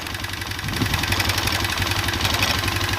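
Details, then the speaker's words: Honda Revo Absolute carbureted motorcycle engine idling with a light fast metallic ticking about four a second persisting after the cam chain was tensioned; owner suspects a worn, undersized piston. "Nah, ini sudah keteng sudah kenceng, tapi mesin masih tetap bunyi. Tuh, masih bunyi ngelitik gitu. Nah, saya curiganya yaitu ada di piston yang mulai mengecil."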